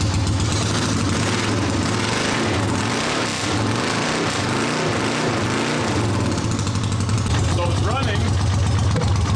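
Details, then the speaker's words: 1979 Honda CX500 twin: loud steady idle with lumpy uneven beat under wind; right exhaust colder than left, so one cylinder is suspected weak, cause not yet investigated; uneven running. "Okay, so it's running. Sounds not too bad. The right exhaust is a little colder than the left exhaust, so"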